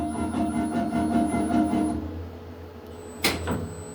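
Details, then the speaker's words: Lift motor starting after the lift is switched off and on: loud droning hum with rough pulsing vibration for about two seconds, then easing off with a clunk; excessive start-up noise heard down at ground floor, cause unknown to owner. "মানে lift of করে on করলে পরে এই motor run নেওয়ার সময় একটা vibration, একটা আওয়াজ বের হয় আর কি। তো এই আওয়াজটা একটু বিকট হয়, এটা অবশ্য নিচে থেকে শোনা যায়, গ্রাউন্ড ফ্লোর থেকে।"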